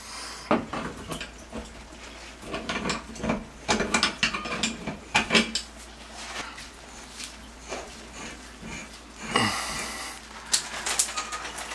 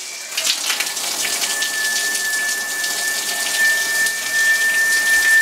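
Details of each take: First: Shower after replacing the squealing showerhead: fitting clicks and ratcheting, then steady water spray hiss with no squeal or flow restriction; old brass showerhead whistled at any adjustment. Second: Running shower hiss with a thin, steady high whistle rising in, squealing whatever the adjustment; the old brass showerhead was the cause, and a new head stopped it.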